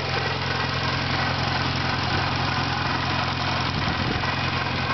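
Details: 1991 Eagle Talon TSI with a small 16G turbo and adjustable wastegate, at idle: a fast, even ticking chatter over the engine. Owner suspects a failing pulley, valve trouble or a stretched timing belt, which is due for replacement.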